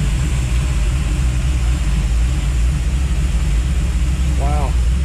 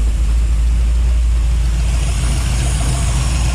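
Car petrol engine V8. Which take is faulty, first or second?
second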